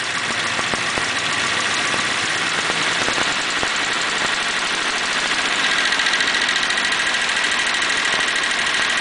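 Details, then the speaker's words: 1941 Pontiac engine warming up, revved: irregular stumbles and popping skips then smooths out; a sticking valve hangs in its guide and drops a cylinder; compression earlier low on cylinders 3 (80) and 6 (90); sticking valve guides, engine teardown expected. "if I rev it up it'll drop that uh that valve will catch and it'll you can hear it start hanging up a little bit"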